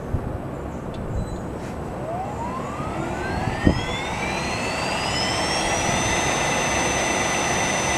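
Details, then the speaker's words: Allis-Chalmers 15 HP motor of a Sturtevant #6 blower, dried overnight to 70 megohm, front bearing regreased with a new fitting, starting a 20–30 minute run to spread grease before shimming: a clean whine ramps up to an even hum, no rumble or bearing noise. "I'm going to run it for maybe 20 or 30 minutes to distribute that grease before I try to check the shimming."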